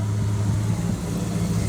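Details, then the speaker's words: 1929 Chrysler engine after retiming to 34 degrees full advance with vacuum plugged; it previously kicked back at 20 degrees advanced, now fires right up. Turns over and settles into steady even low rumble, no kickback or misfire; normal running. "But it starts real easy now. Before it kind of kicked back a little bit. I had it at least 20 degrees advanced. But it fires right up."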